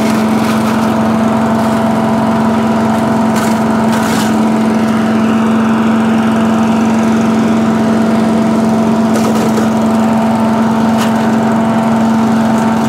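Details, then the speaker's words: Allen chipper leaf shredder's small petrol engine, started stone cold on choke after carb cleaned twice: constant steady drone with a few stray clicks, runs evenly without hunting; now starts and runs normally. "car has been cleaned twice I put for onic cleaner in in this in this video uh or prior to it and it's now working starting off its own back"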